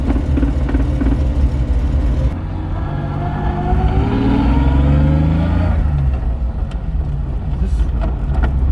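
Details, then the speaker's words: 1991 BMW 325i E30 manual with Megasquirt 3, driving in third gear around 25 mph; droning transmission noise climbs with road speed and disappears when clutch is pressed in, cause unknown. "Yeah, and you hear that transmission noise? Yeah. You know, when you press the clutch in, gone."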